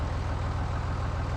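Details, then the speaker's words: John Deere 3350 tractor diesel after head gasket replacement (combustion gases had entered the water jacket), injectors bled, batteries charged: fires straight up to a steady, even low chug with no knocks or misses; sounds really good. "we've got it running now we've pulled the batteries on charge for an hour um and it they just fire straight up slacks injector off got it running tightening Jacks roll it sounds really really good"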